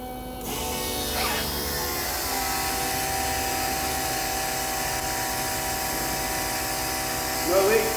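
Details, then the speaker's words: 1984 Nissan Z31 300ZX track build, first power-up on temporary jumper wiring: lift pump then Raceworks 250 L/h supply pump run with a steady, even electric hum and faint whine; fuel pressure builds with no leaks, normal fuel pump operation. "so positive first no sparks there you go you can hear our lift pump and now the big works fuel pump"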